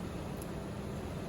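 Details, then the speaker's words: 2003 Ford Ranger 3.0L with hard start/stalling, P0172/P0174, fuel pressure about 40 psi against 55–65 spec (returnless), fuel pump blamed: steady even idle, no misses or surging; sounds healthy. "But it sounded really good cranking, and it sounds healthy running, as you guys can hear."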